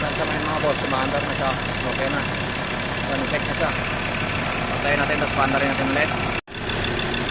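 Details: Mazda BT-50 3.2L diesel that had cranked without starting because of a failed cam angle sensor, now clattering at a steady idle with no stumbling or hunting after the sensor repair. Normal idle.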